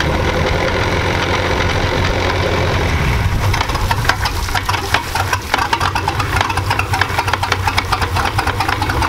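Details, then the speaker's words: 1999 Chaparral 1930 SS boat with a MerCruiser engine, idling in gear with good oil pressure: irregular heavy clunks from the transom area. Feels like the drive isn't fully engaging the gear; exhaust leak was considered, and the cause is unknown. "You hear that? It's like some clunky noise. It's almost like it's not going in the gear all the way, you know?"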